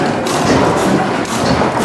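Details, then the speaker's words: 1912 Otto 150 hp single-cylinder gas engine water pump running: slow heavy thumps about twice a second in an even chugging beat; normal running, though the exhaust flex joint is blown out and leaks. "Oh yeah, it's chooching, it's chugging."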